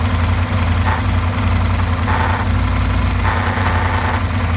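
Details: Aprilia RSV motorcycle at idle: a steady low idle with a raspy mid-pitched noise recurring about every second; abnormal noise, cause not pinned down.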